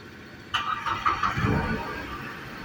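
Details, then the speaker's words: Renault Kwid after replacing fuel pump valve that caused loud pump noise: starter catches within half a second, engine settles into smooth even idle with no pump whine; normal start. "अब इसमें कोई भी आवाज नहीं गाड़ी start"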